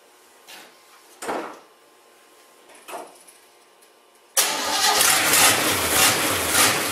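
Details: Basket-case GMC after fixing the plug wires and fitting the correct carburetor gasket, on bad gas that may stop it staying running: a steady even idle picks up and holds smoothly, no knocks; the block is steaming while warming.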